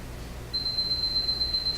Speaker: should your device alert you will hear a series of beeps these are the same beeps you will hear for all of the alerts